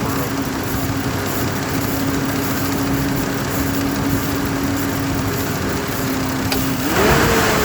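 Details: Chevy Trailblazer after replacing the fan clutch: steady, even engine note with a mild hum, climbing smoothly when revved; no loud whine or roar from the fan, which had come from the faulty fan clutch.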